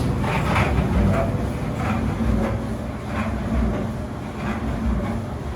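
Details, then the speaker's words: GE Laundry Center dryer, empty, briefly run after circuit breaker reset fixed no-power: low steady rumble with soft slow rolling thump from the empty drum turning; normal running. "so we are going to turn it on and turn it off within a few seconds. We just want to show you that our dryer works."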